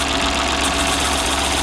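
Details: Stellantis PureTech car with no brakes, after the brake vacuum pump clogged by disintegrated belt debris was cleaned and refitted with a new gasket. The engine idles steadily under heavy hiss with no knock or miss. Normal idle.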